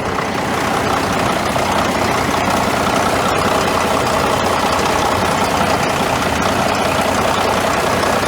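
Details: Caterpillar D9G dozer diesel, started after sitting about 10 years, 24-volt glow plugs used and hand primer pumped: steady heavy clatter with a slightly uneven beat, running on its own.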